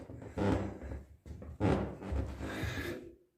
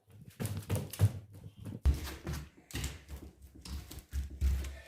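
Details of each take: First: Creaking wooden plank floor under shifting weight: boards were screwed down and each wedged, the squeak stopped, then returned after a plywood sheet was laid over them; PVA glue was tried without success, drawn-out groaning creaks of squeaky floorboards. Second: Wooden plank floor on joists under plywood, after driving wedges under the joist: dull footstep thumps with no creak or squeak between steps; floor now solid and quiet.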